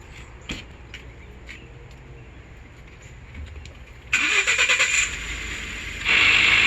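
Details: 2012 Ford F-150 3.5L EcoBoost: ticks, engine cranks and catches, then a harsh high rasping grind builds at idle from the vacuum pump behind the driver's side headlight; failing pump bearing, recalled part.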